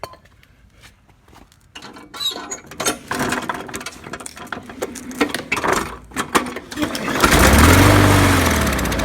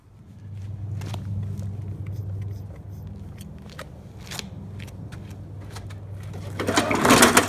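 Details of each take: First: Murray mower with Briggs & Stratton 300E series engine, trash-picked, run on carb spray into carburetor: scattered pops and cranking, a few seconds running on spray, then dies; plugged carburetor, probably water in fuel or dirty carb. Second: Trash-picked Murray mower with a Briggs & Stratton 300E series engine, after carburetor and tank cleaning and a sharpened, balanced blade: runs at a steady speed with an even beat and no misses, knocks or hunting; healthy.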